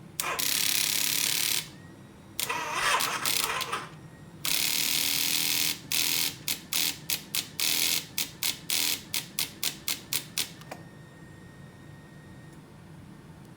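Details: 2008 Harley-Davidson V-Rod, ignition on and lights good, start button pressed: rapid chattering clicks, about four a second, in bursts with no cranking; jump starter connected to battery burned; cause unknown.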